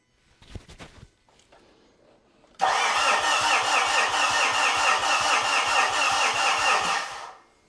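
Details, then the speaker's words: 2013 Mitsubishi Fuso FG, 4P10 diesel no-start, about 72 psi rail pressure from electric lift pump with injectors connected: steady cranking about two beats a second, never catches, no pressure built; injector number one suspected bypassing fuel out the return. "I would say no. So, can I pop the returns off and see which injector is bypassing fuel out the return?"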